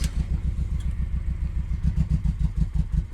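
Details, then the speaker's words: 5th-gen Honda Prelude 2.2 VTi VTEC running after swapping to a manual-code ECU: uneven lumpy idle with low thumping beat stumbling every few pulses; misfire, not firing on cylinder 1, cause not yet found. "There you go, it's running, but we still have our misfire problem. If you can hear that, it's not firing on piston 1."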